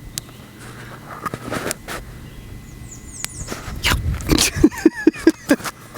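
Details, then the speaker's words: Electric fence grounding out through grass touching the wire, microphone held down at the spot: sharp, uneven snapping ticks a couple of times a second over a quiet outdoor background as the grass burns. "well here's one of those spots where it's grounding out and I'll hold the mic down there so you can hear it ticking"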